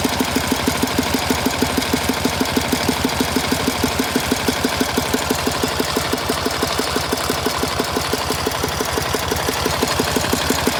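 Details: 1967 K750 motorcycle on 92-octane petrol, cam bushings worn, valve clearances checked earlier: dull thuds about three per second, felt in the air filter area, persisting as revs rise; cause unknown.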